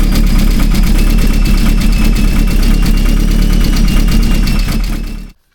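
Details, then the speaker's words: Vauxhall Astra VXR engine on first start after head removal, rebuild and big turbo install: loud, deep, lumpy idle pulsing about four beats a second, uneven and hunting; rough running, owner suspects a vacuum leak. "It's just something... I don't know how well you're going to be able to hear it over a video, but it sounds like something stupid."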